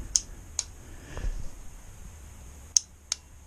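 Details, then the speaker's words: Aprilia Pegaso Cube 650 no-start, battery fully charged, after retightening a starter cable that had come loose: four sharp dry clicks on pressing start with no cranking; owner suspects the starter solenoid needs replacing and plans to clean its post. "er go but I think it's definitely going to be a replacement solenoid yeah there's plenty on eBay places like that I think this was only about 17 quid"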